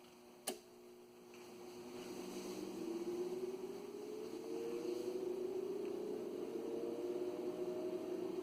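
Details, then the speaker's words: Ameritron ALS-600 amplifier power supply, original fan before replacement with Noctua: rising whir settling into a steady droning hum, louder and rougher than it should be; noisy cooling fan. "this is Gary k3 OS about to change the fan out on an American ALS 600 because this particular fan is noisy you'll hear the original"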